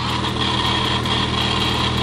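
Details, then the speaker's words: Supercharged Lamborghini idling, constant thin whir with loose metallic chatter louder than the engine; a stethoscope is used to find which pulley rattles, a worn idler pulley bearing on the blower drive; check engine light on. "Well, that rattling noise, by the way, I don't know if you can hear it. It's literally I can step back here. It's louder than the car."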